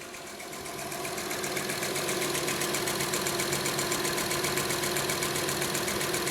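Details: Honda Odyssey with a cylinder 2 misfire: steady idle carrying a light, even tick about four times a second over the engine hum; valvetrain-type ticking, cause unclear.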